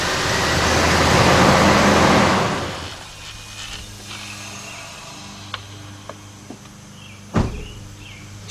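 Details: 1998 Ford F-150, 4.6 Triton V8, brought in for no-crank, no-start despite a new battery; corroded terminals were found. A strong burst of cranking catches and settles into a quiet, even idle with light clicks. Starts normally.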